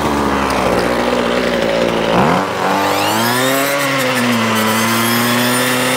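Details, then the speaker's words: Ryobi two-stroke trimmer that would not run, heard after strip-down, service kit and pull-start refit, on fresh fuel with two-stroke oil: a buzzy drone spins up smoothly and holds steady revs with no stumbling, running normally. "so that's it done that seems to be working fine"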